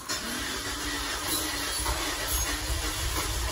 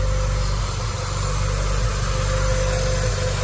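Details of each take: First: Peugeot 406 petrol engine idling unevenly with an irregular, stumbling low rumble; cylinders 1 and 2 show no compression and injector swaps make no difference; head gasket blown between cylinders 2 and 3, likely from overheating. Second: Peugeot 406 after cooler hose repair: steady, even warm idle with smooth low rumble and no misses or knocks; engine sounds healthy.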